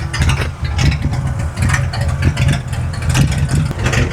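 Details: Slammed Ford Galaxie V8: loud, lopey idle through open exhaust, the beat stumbling unevenly at random now and then; intermittent misfire at idle.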